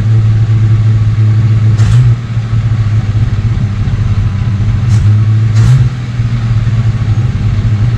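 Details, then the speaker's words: 1969 Ford Falcon first running after sitting for years, warming up, no brakes: steady low drone holding a fast, even idle with no dip or hunting. The carb idle speed is turned up too far. "No brakes, you know that. Oh, warm it up. You got that idle turned up too far."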